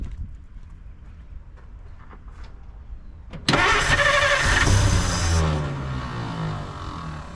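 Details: 1950 Dodge Meadowbrook, long-sitting, in neutral with brake cleaner sprayed into the intake: quiet ticking, then starter whirs and engine catches briefly before fading out without idling; fuel line to be disconnected because tank fuel is unknown.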